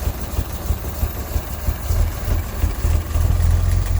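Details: 1958 Mack B-21 fire truck, 1091ci Hall-Scott engine, first start after 30 years sitting, fed from a fuel can: uneven lumpy low thumping that surges and sags as it catches; running rough.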